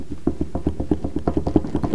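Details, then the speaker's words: Boat trailer, unloaded, last serviced apparently 7/19: wheel rocked back and forth by hand on the hub wobbles with quick dull knocks, about seven a second, from loose wheel bearings needing tightening and adjusting. "that knocking it is the bearings that are loose and they need tightening up and adjusting"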